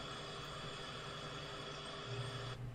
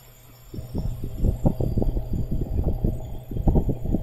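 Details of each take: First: R290 cooler with an Embraco compressor after troubleshooting: quiet, steady hum and airflow hiss with steady amp draw and pressure, no on-off ramping, then it cycles off normally at 3 °C; running normally. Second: R290 cooler with an Embraco compressor that is not cooling (56°F, 0.97 A draw): an irregular, clunky chattering as the compressor ramps up and drops out. A restriction or leak is suspected.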